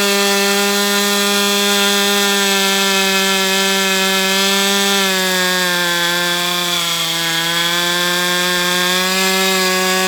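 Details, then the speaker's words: Brat 28 model glow engine, rerun after a too-rich carb was leaned out substantially: a steady high-pitched buzzing whir with a slight pitch dip and an even drone, sounding like internal drag; cause unclear, and the owner suspects the engine rather than the carb. "There I hear a whirring sound like there's drag. I don't know what the hell to say about this engine."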